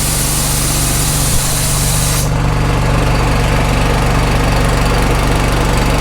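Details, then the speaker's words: Small petrol engine on a gas-powered air compressor, started with the choke, then choke off; it runs at an even, rapid beat, and the hiss cuts off as the valve closes and the tank fills; normal running. "Choke on. Start. Choke off. Running. Close the valve."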